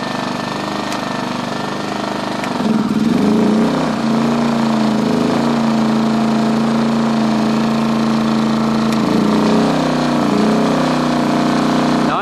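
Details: 2010 Champion 2000W generator after cleaning its gummed carburetor jets, in econo mode with the choke in, with a heater load switched on. The engine bogs briefly, then recovers to a steady, even drone that holds speed. Normal running under load; previously it surged.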